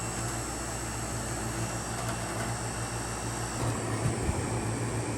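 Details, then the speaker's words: 1971 GM Montgomery Ward Signature 6,000 BTU window air conditioner, about 50 years old: steady, even low hum with smooth airy rush, no knocks or rattles; already cooling; runs smoothly and healthy. "The thing runs so smooth, and to think that this thing is like 50 years old, and it runs this smooth."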